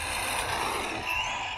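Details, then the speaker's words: Tamiya TA02 Opel Calibra RC car: thin whirring rattle and faint gear chatter rising on throttle from the stock central driveshaft, which the owner plans to replace; camera is mounted on the transmitter. "la seule chose que j'aime pas c'est le bruit quand je me suis un gaz c'est le bruit de l'arbre de transmission là centrale"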